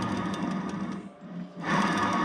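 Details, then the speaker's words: Bridgeport 2J mill head, disassembled, bearing spun by hand: gritty, rattling whirr that fades briefly and picks up again; earlier the spun shaft gave a high-pitched squeak; bad bearing found. "here's our table parts and I think we found our bad bearing counts right here"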